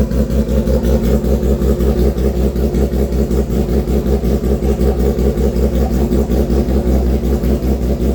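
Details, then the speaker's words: Custom 400 HP street motorcycle build, fired up with light throttle only: strong, even idle at about eighty pulses a minute with light blips rising cleanly; motor sounds healthy. "Alright guys, I can't gas this out too much, but as you can tell, the motor is definitely quite healthy. Sounds good."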